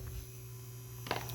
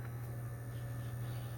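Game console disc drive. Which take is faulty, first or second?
first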